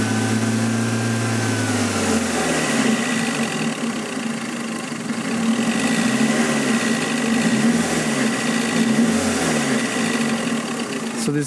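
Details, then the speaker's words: 1992 Toyota Sprinter Trueno GT Apex with factory individual throttle bodies, revved to about 2000 rpm: a buzzy resonance rattle over the exhaust note. Source unknown, possibly an accessory or a cover; the car also has a hunting idle when cold. "bit of like a resonance Rattle and I'm not sure exactly where it comes from"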